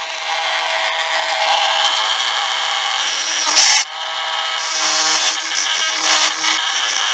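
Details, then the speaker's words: Five-year-old electric drill with worn small grinding stone: high steady scraping whine with rough gritty edge that dips as the stone loads; worn bearings. "had this drill for about five years and of course it you can hear the Bears in this the Bears are kind of hollering at me"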